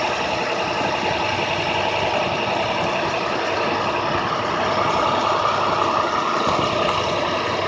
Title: 2006 ic ce handicap high idle b